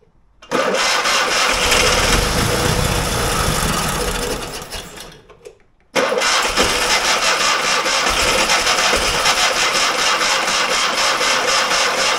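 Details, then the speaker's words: Fiat 126 barn find, stood many years: two bursts of steady starter cranking about four beats a second, never fires; no fuel visible in hose, fuel pump operation in doubt, hose from tank found blocked. "Jag ser inte att det är något bränsle i slangen, men lite till så. Kanske. Får vi se om pumpen går."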